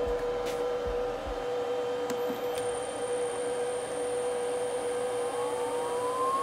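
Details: First run of a new 110 V 1.5 kW water-cooled 65 mm spindle on a Huanyang inverter, cooling not hooked up, settings untouched: clean, steady whine with a second tone climbing as it spins up, no grinding or rattle; normal.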